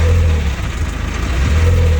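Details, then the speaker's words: Diesel car, clutch pedal pressed: heavy, uneven low thumping bursts swelling over the idle rumble, a violent crash as if about to explode; vacuum pump suspected but replacing it did not fix it, cause unknown. "Là, je débraye. On entend le bruit et c'est violent. On dirait que la voiture va exploser et tout."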